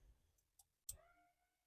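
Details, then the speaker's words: DIY electric parking brake with two cable-pulling actuators and a relay controller; quiet background, then a sharp relay click and a brief falling motor whir as the actuators release the brakes normally. "so now when you hit it right now they're currently on on but now when I let the button go can hear the relay click and hear the motors releasing the"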